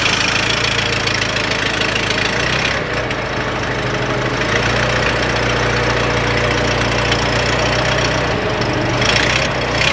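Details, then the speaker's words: Engine after tightening the muffler underneath: steady, even idle with mild low putter, no knocks, rattles or exhaust blowing; doesn't sound bad at all, normal idle. "doesn't sound bad at all. You No, know that's fine."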